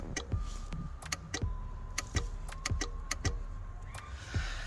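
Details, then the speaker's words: Nissan 200SX S13 driver door, panel off: sharp irregular relay clicks with each switch press but no window motor whir; cause was a cracked solder joint on the door relay circuit board, not the motor. "i thought i thought the moser was gone because when i press when i press the button you can hear it clicking here on the relay"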